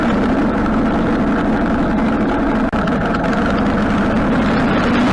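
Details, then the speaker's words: Harley-Davidson Sportster twin idling steadily after a carburetor rebuild; before the rebuild it would idle a minute or two, then die and backfire through the carb, which it no longer does. Even idle, no stumbling, popping or stalling. "yeah it's idling great before it would idle for a minute or two and then it would die and it would backfire through the car block which is not doing now"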